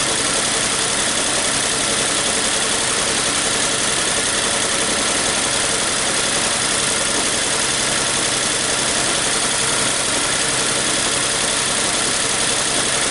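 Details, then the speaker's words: 2014 Nissan Versa 3-cylinder, rough idle with P0303 misfire: lumpy, uneven stumbling idle; scope shows a secondary ignition fault, likely a faulty spark plug; plugs long unchanged with high burn time; earlier No. 2 coil swap didn't fix it. "Looks like it's just a secondary issue. Could be just a faulty spark plug."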